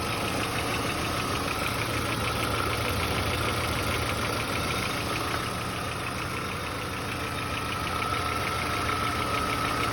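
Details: VW Passat B4 engine at idle: steady hum with a fast, fairly even tapping about three per second; owner unsure whether it is a knock or normal, cause unclear.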